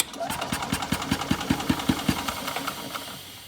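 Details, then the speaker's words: Old Yamaha golf cart engine after a no-spark fix and fuel system overhaul, having sat a couple of years: puffs at about two and a half beats a second with a breathy, choked exhaust note; owner suspects a clogged muffler. "Y'all hear that air? I still believe that muffler's clogged up somewhere."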